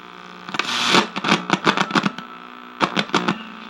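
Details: 1961 RCA KCS133 portable black-and-white TV at power-up: steady low mains hum under the sound with crackly bursts; audio detector circuit suspected faulty, not confirmed.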